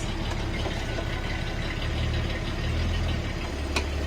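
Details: 1973 Datsun 240Z Series 2 rebuild, not yet road-registered, carburettor tuning still unfinished (earlier ran rich and stalled), new twin-plate clutch and open exhaust: deep, steady burble at idle, even firing, no knocks or rattles; normal idle.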